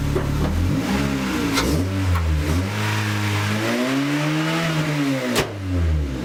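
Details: 9th-gen car after exhaust leak repair with new gasket and sealant: engine starts and revs cleanly, pitch rising and falling smoothly with no puffing or ticking at the joint; exhaust now sealed.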